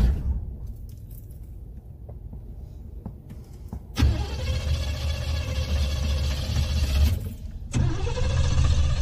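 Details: Old Chevy 350 V8, hot start after the pedal was pumped too much: the starter cranks in steady bursts, about 3.5 turns a second, but it never catches; flooded engine, no start.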